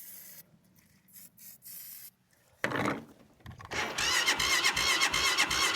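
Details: Cold start attempt: starter churns at a steady pace after a few false starts, never catching or picking up speed; engine cranks but won't start.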